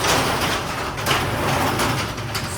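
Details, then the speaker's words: Garage door that stuck, jerked and shook when first opening, next day after yearly maintenance fix; steady rolling rumble with no jerks or scraping as the door lifts, definitely a lot smoother: smooth garage door operation. "It's easier for me to see, but definitely a lot smoother."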